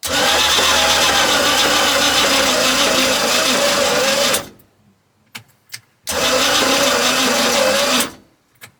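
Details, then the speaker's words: 1990 Cobalt 202 boat engine, previously locked up, now oiled with a new starter: harsh cranking with a repeating clunk low in the engine every rotation; suspected bottom end (rod or crank bearing), flex plate, or an unpumped hydraulic lifter. "here it's got a clunk down there it's either bottom end or flex plate you hear cl cl cl every time it rotates"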